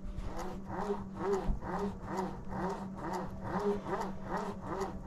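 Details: Thrustmaster TS-XW force-feedback wheel base motor hum with buzzy rattle pulsing about twice a second from the belt, before disassembly and belt maintenance fix.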